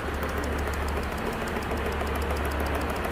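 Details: Ford EcoSport Dragon engine run on wrong engine oil, later opened up: rapid regular metallic ticking over steady idle hum; internal knock from parts starved of oil.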